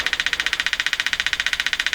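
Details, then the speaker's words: Arvin 444A four-tube steel-case radio on the bench with a 455 signal-generator signal injected at the antenna wire; fast, even machine-gun pulsing of about twelve bursts a second; interference from outside the radio suspected, not confirmed. "we have something just turn down the machine gun here and I'm pretty sure that's interference coming from outside the radio"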